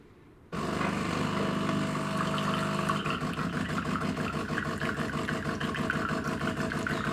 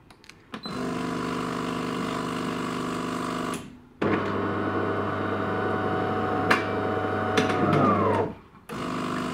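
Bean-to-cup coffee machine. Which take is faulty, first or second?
second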